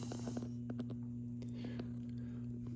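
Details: Hallicrafters SX-117 receiver humming only in USB/LSB, not AM: steady low hum near 120 Hz with buzz above; underfiltered lowest audio B+ line feeding the product detector, fixed by adding a 10 µF 250 V capacitor.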